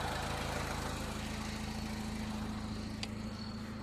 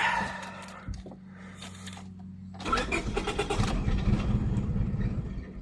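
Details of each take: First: 2000 Honda Civic 1.6L SOHC after replacing the whole distributor (old cap cracked, moisture inside), passing water test: even, settled idle with smooth low drone, no misses or stumbles; fixed. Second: 2000 Honda Civic 1.6L SOHC, cold after wet conditions, with water on the distributor: long weak cranking with scattered attempts to fire and no catch; cracked distributor cap let moisture into the ignition.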